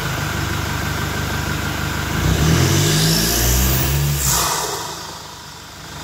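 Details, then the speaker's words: Toyota Innova Reborn diesel with open air filter after about 600–700 km, parked and revved: idle, then rising hiss and whistle fading as revs drop; normal turbo spool on revving. "Oke tadi setelah kita dengarkan Bagaimana suara siung-siungnya ya suara turbonya suara dengingan turbonya kita sudah dengarkan tadi saat mobil kita berhenti Kita injak gas itu suara S seperti itu ya"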